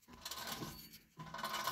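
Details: 1984 Mercedes 300SD W126, rear hub turned by hand with disc rotor and caliper removed, gritty metallic crunching with faint clinks; failed rear wheel bearing, first noticed while driving.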